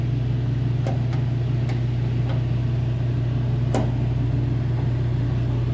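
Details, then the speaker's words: One-year-old Mr Heater Big Maxx heater on its replacement fan motor. Loud steady hum with a buzzing shake that visibly shakes the power cord. Excessive fan vibration; owner suspects a bent fan blade, and the rubber mounting washers are crushed. "yeah that's vibrating like crazy look at this electric line it's like all over the place and that's vibrating what it's attached to this thing's going to shake itself apart"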